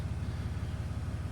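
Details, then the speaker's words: Ram 3500 diesel idling to warm up after fuel filter replacement, being checked for leaks: a deep, steady rumble with an even low beat and no misses or knocks; the engine idles smoothly. "let it heat up a little bit and uh check and make sure we don't have any leaks and we should be good"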